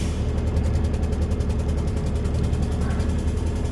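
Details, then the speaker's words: Terex Telelect truck at low idle: fast, even puttering of a few pulses a second as the air compressor unloads into bypass, working normally. "hear that puttering. That's the air compressor going in bypass."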